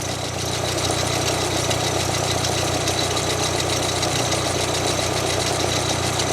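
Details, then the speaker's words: Pierburg 2E2 carburettor, warm engine idling, during idle mixture adjustment: set too far lean it gives a soft irregular stumble under the steady engine note, a lean idle misfire or 'lean splutter'; idle speed was also a little low. "You go too far, you'll get like a bump bump bump bump bump bump. I call that a lean splutter. There's probably another name for it."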